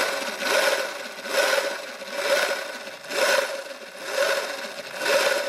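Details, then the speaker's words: Sur-Ron electric dirt bike on stand in eco mode after being hit in a race, chain already tightened and lubed: gritty knock repeating about once a second; owner suspects jackshaft bearing, swing arm bearings to be inspected. "There's kind of like a knocking sound, sorta. So, like it sounds like something is gritting or knocking or something like that."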